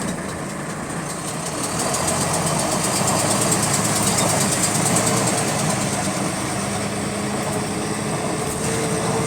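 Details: GAL WVL358 bus on route 486: steady diesel idle with fast, fairly regular light ticking, about three to four per second, in sync with engine speed; cause unknown.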